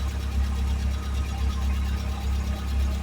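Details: 1979 Fiat idling after a new fuel pump, pump relay and fuel pressure regulator were fitted and an oil leak was sealed, with no leaks found. Low, smooth, even thrum with no misfires, ticks or knocks: normal idle.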